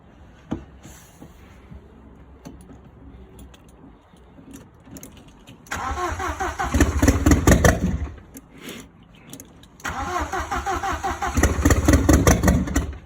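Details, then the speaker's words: Audi 80 cabriolet with a freshly fitted 1.8T AEB engine and new wiring loom, first start attempt with fuel and ECU connected: starter churns, engine catches briefly and unevenly with some gas, then dies; cranks but won't keep running; owner will try other ECUs. "Right, let's give it a test and see if it will start. Here goes nothing. Oh, almost there. It's there. Give it a bit of gas."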